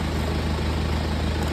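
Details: BMW Z4 at idle before ignition coil replacement: deep idle with uneven, choppy beat instead of smooth hum; misfire from faulty ignition coil.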